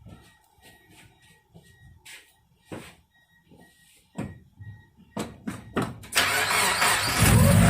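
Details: 1997 Mazda Miata after head gasket replacement: a few clicks and thumps, then the engine catches straight away and settles into a strong, steady idle.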